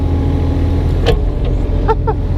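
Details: 2006 Kubota KX 101-3 mini excavator grading with a board and 80 cm bucket: steady diesel drone with a few light squeaks as the arm moves. The unfixed banging is avoided by careful operation, so the hydraulics sound smooth.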